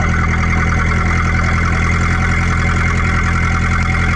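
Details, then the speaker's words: 1931 Ford Model A peach flat four-cylinder, sat 30+ years, first start on choke: deep steady low chug with even beat, no knocks or misses, loud; idling smoothly. "I love it. That thing ran awesome."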